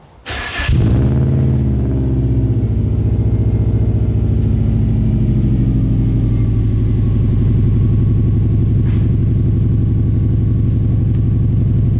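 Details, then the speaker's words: WRX-swapped Subaru 2.5RS turbo with a newly rebuilt custom exhaust: starts cleanly and settles into a deep, smooth, quiet burble with no rattles or leaks, leaving turbo noise audible. Normal exhaust tone. "got a really good tone to it it's very quiet but I like it because when I'm driving this thing around you can hear the turbo noise"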